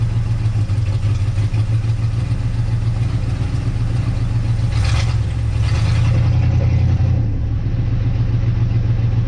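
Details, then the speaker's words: 1958 Dodge Coronet Lancer V8, 30-year barn find, idling after condenser and coil work; loud lumpy stumbling beat three or four times a second, still sputtering and shaking; misfire persists, cause unconfirmed. "still doing that sputter thing for my recollection when this thing first ran it was very smooth now I can see it shake a little still sputtering"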